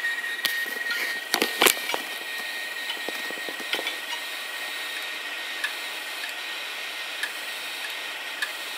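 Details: Several hard drives that failed over three years, including a 2.5-inch disk making a screeching noise; a thin high whine broken by sharp irregular clicks and a brief rattling burst from failing drives.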